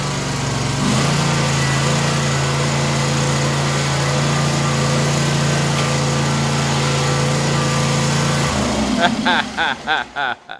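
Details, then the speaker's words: Kawasaki FX691V V-twin on a Gravely Pro-Turn 148 XDZ mower, test run after carburetor replacement; previously ran only on choke and backfired. Now smooth, steady hum with no stumbling or popping, then a clean shutdown: normal running. "I tell you what that Amazon is making this sucker perr so I totally suggest if you have one of these FX or F series mowers just buy the new carburetor"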